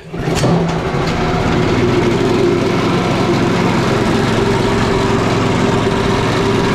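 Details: Petrol four-stroke engine of a job-site wet saw/generator, just serviced with a new 5/8 four-stroke spark plug, catches on the first pull and settles into a steady, even drone with no misses or knocks; running normally, though a little smoky afterward, possibly from too much oil.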